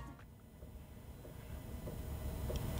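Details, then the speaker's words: Chinese diesel heater installed in a VW T4 van, during startup with the glow plug heated and on one bar of heat: soft, steady ticking about every half second over a low fan rumble; the fuel pump is pulsing normally. "Okay, so that's your fuel pump. That's working fine."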